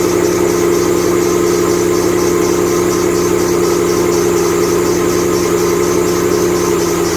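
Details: 2008 Bullitt Mustang, 8-rib serpentine belt, cold idle the morning after sitting overnight in the garage, under 30 miles driven: a steady, fairly low-pitched squeal holds unchanged, a slipping accessory belt.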